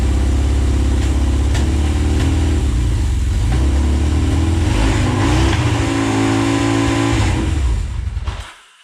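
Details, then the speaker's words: 1979 Yamaha XS11 Special on its first start after sitting: loud, uneven running with a faint irregular stumble. It fires on all cylinders but skips a little, a slight misfire of unknown cause. "it runs i better turn these off and it fires on all cylinders sounds like it's skipping a little bit but it runs"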